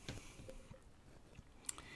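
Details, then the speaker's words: AudioBox USB 96 audio interface: irregular sharp clicks and ticks over a quiet hiss, caused by a ringing cell phone sitting next to the microphone or cables. "is your cell phone sitting right next to your microphone or in a chain and i just found out what it is"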